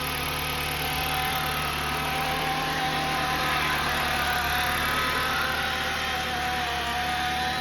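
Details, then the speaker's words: 2013 Jeep Compass brought in for a bad transmission: steady engine hum with a thin constant whine around the midrange coming from the transmission, not the engine. "The whining's coming over here from the trans. That's why the vehicle came in."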